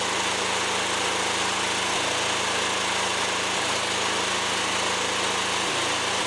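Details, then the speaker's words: Fairly new lawnmower run with the mower deck off after checks: steady buzz with about four quick dropouts in six seconds; intermittent misfire, choke clears it, owner suspects a fuel problem. "okay so still doing it once in a while it's not as bad but as soon as I choke it it actually helps because it almost it clears it for some reason and then it starts to running normal so weird it's almost got to be a fuel problem"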